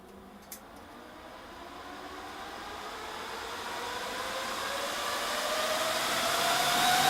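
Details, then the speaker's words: HP DL380 G7 server with 24GB RAM in power-saving mode, two fans removed: the rushing fan roar and whine climb steadily in pitch and loudness as the remaining four fans ramp to maximum speed. "as you can hear it gets very loud when it wants to but you can if as long as you've got all thirds installed you are not going to have any issues in a home lab environment"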